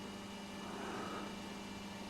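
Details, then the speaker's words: Petro Scott vintage reel-to-reel tape recorder after filter capacitor replacement, running upside down: steady, even motor whir with no mains buzz or hum; repair fixed the hum. "that noise you can hear is the motor it doesn't like working upside down it's got itself jammed but doesn't matter well I'm not hearing any buzzing or humming"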